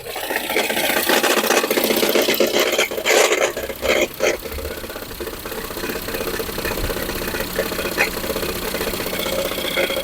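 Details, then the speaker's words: Ford Fusion 2.0 engine: harsh metallic clatter on start, then uneven knocking at idle, loud on shutdown; traced to a broken, loose flywheel ring gear, not the engine itself. "vocês viram que quando o Lucas desliga né carro faz um barulhão ali proveniente tirar aquele Malheiro era solta"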